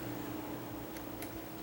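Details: Ceiling fan after repairing pulled-out pull-chain switch stuck on medium, rewired and set to high; quiet steady hum with soft even whir, no rubbing, ticking or wobble; normal running on high.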